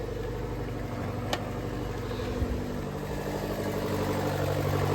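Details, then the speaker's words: Turbocharged kei car at idle: coarse, chuffing diesel-like sound, far too loud, with a faint steady squeal on top; owner suspects an exhaust manifold crack or leak rather than the turbo, squeal cause unexplained. "I feel like it definitely has an exhaust leak is that the reason I'm squealing that's a different question but just listen to it how it sounds like a diesel right"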